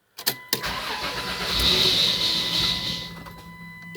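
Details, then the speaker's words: 1996 Dodge Grand Caravan SE, 3.3 V6, FWD automatic: cranks, catches and runs a few seconds, swelling then sagging, will rev then die, primed or not; repeated stalling after starting, cause unknown, owner suspects computer cutting injectors. "You can rev it and rev it. I mean, it'll it'll rev and then die. I mean, it tries to run, but as you can see, if you prime it, there's one, two, and it's primed."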